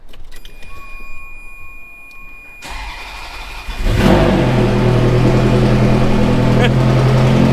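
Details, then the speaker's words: Ferrari F430 V8 at startup and idle: a fast, even ticking puff, about 220 a minute, from blown gaskets on the aftermarket headers. Headers then reinstalled with new hardware and new factory gaskets. Exhaust manifold leak. "Listen to that. It sounds terrible. Obvious, huh?"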